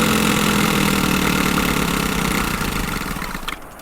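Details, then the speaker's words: 2001 Chevrolet Lumina, long-sitting car with a 10 V battery started on a jump pack: rough idle with a steady whirring drone over the engine, fading as it settles; the air injection (smog) pump sounds awful. "oh that's the smog pump that's that damn smog pump that thing sounds awful"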